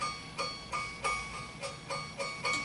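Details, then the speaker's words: Delta scroll saw blade tensioned to between 4.5 and 5: seven clean, high pings like a plucked guitar string, each ringing briefly; the blade is tensioned correctly. "You know, you want that high pitch tinging sound like plucking a guitar string, and I will tension it here so maybe you can hear."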